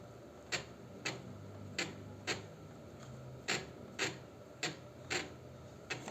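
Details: 125Z with a Bendix-like noise when starting; Bendix and gear teeth checked and fine, starter motor removed and hand-turned: sharp, evenly spaced ticks about twice a second, only in one direction, pointing to the starter motor, to be checked for wear or dirt.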